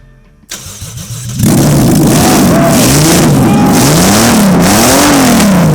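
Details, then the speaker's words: VAZ 2107 (Zhiguli) fitted with a 200 hp Toyota JZ petrol engine, first start: the starter cranks about a second, then the engine catches into a very loud, steady, even run. Clean start, healthy. "Наконец-то наш наш JZ, установленный в Жигуль, работает."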